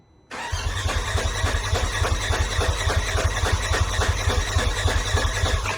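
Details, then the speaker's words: Turbo S engine after head studs and injectors, cranking: the starter turns it over evenly at about three and a half pulses a second but it never fires; owner suspects the starter leads are reversed, spinning the engine backwards. "the engine sounds like it wants to start but it sounds like it's only wanting to start just from the I don't even know"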